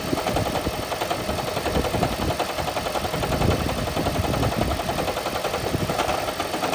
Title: 2012 Toyota Prius loud engine rumble rattle noise upon startup then goes away Blown Head Gasket